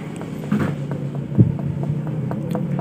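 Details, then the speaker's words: Honda Beat scooter engine that would not start, opened up: tapping the connecting rod gives a dull, even dug-dug with no loose rattle or double knock, so the big-end (connecting rod) bearing has no play. "menandakan di bagian setang piston ini tidak ada masalah Tidak ada spasi Di bagian bearing connecting Rod atau di bagian bearing stang seher ya"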